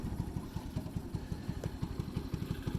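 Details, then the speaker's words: Ice Bear Mini Jeep, 125cc air-cooled single, one year old, first start of the day cold, on choke, left in gear; soft, slightly uneven putter at about three beats a second: rough cold idle. "this has not been started today so it's gonna be real cold-blooded and apparently that's in gear"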